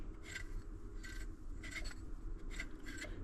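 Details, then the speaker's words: 2003 Jeep Wrangler TJ alternator turned by hand during frame swap teardown; quiet repeated dry rasping strokes about twice a second, catching in one area instead of spinning freely; alternator binding, looks like it needs replacement. "It's looks like I need a new alternator. You can hear it kind of catch"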